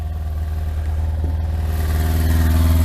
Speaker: Right, anyway, that's running, so I won't run it too long, so like I say, there's no water in it.